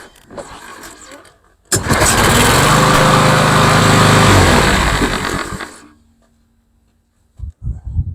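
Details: Craftsman (MTD) lawnmower, PowerMore 140cc engine, after carburetor clean, oil change and blade service (previously started then died): catches on first pull, runs steady and even a few seconds before shutoff; normal running.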